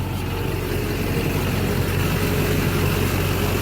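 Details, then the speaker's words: LB7 Duramax diesel after fuel filter head delete, still cold: deep, even diesel clatter at idle with a steady low rumble, no misses or stumbles; owner says it fires up like new with little fuel restriction. "It runs good, obviously. Fuel there's very little restriction. it fires up like a brand new truck, like an LLY or something."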